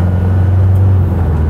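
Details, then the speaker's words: Isuzu Panther diesel driven after a workshop visit for a rear humming rumble (suspected rear wheel bearing): steady low cabin drone, quieter than before, rumble from the rear gone; normal driving noise. "Mobil gua terasa lebih senyap dan lebih nyaman walaupun ga nyaman banget ya Iyalah taulah Venter gimana minimal bunyi gemuruh yang kemarin ngebuat Krasak terganggu itu udah nggak ada"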